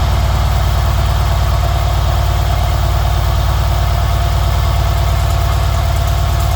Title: Mercedes CLS S CL SL E GL ML Class Engine Noise(Ticking Sound)